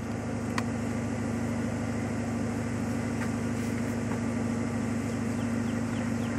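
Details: 1995 Ford Mustang GT V8 (OBD1) during cylinder balance test after one wide-open throttle tap, computer cutting fuel and spark per cylinder: smooth steady idle, even low rumble, no misses or knocks; cylinders sound balanced.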